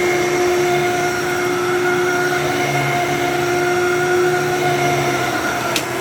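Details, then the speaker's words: Older 12-amp Fantom Thunder vacuum, dusty and needing a filter: steady motor whine with a fluttering, slightly uneven hum underneath. Something may be caught in the brush roll, unconfirmed. Abnormal brush roll noise. "Sounds like there's something in the brush roll."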